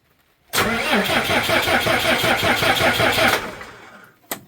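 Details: Cummins 6BT 5.9 diesel truck: crank, no start after earlier starting trouble and dying while running; steady starter cranking for about three seconds with no firing; pops on ether, no fuel at injectors, weak flow to injection pump; clogged fuel filter starving fuel.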